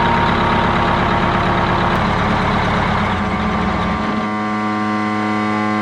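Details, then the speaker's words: Silver Eagle diesel bus started via bump switch: a steady high whine rides over the idling engine and doesn't fade; not the power steering pump but the starter staying engaged, the new starter solenoid suspected of having shorted. "What the hell that noise was? Is a starter. So the bus has been running now for a few weeks."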